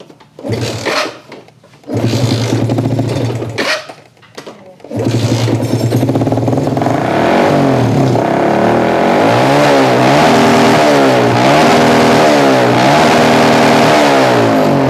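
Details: Yamaha Jupiter MX motorcycle that stalls and is hard to start: it catches, dies, then runs loud and uneven and won't rev. Suspected carburetor mixture too lean or too rich; otherwise an ignition fault.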